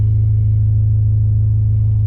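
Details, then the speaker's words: Honda Prelude with a muffler delete and freshly changed oil. A deep, booming, unmuffled drone at idle with heavy low rumble; the exhaust is too loud and needs a new muffler. "ah i gotta get it we got to get a new muffler um it's too loud"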